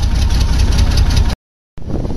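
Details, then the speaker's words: Nissan Pathfinder with a large gasoline leak from a rusted fuel line, main or return line unclear: low, uneven idle with irregular stumbles and a brief dropout; missing badly from lack of fuel pressure, barely starts. "okay as you can hear it's not running very good"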